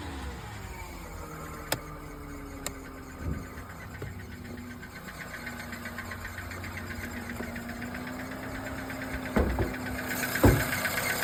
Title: Nissan Qashqai Engine Knocking #nissanqashqai #engineknock #automobile #mechanic #subscribe #nissan